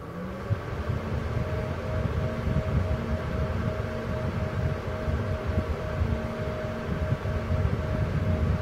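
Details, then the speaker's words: Gigabyte Radeon HD 7870 OC with three fans set to 100%, as used when overclocking: a loud, steady airy roar with a constant whine on top, normal at full speed. "now I'm going to put it on 100% you're going to hear 100% that's usually when I overclock the the video cord I go to 100%"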